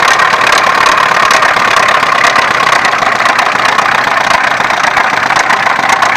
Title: Стук мотора х20хеv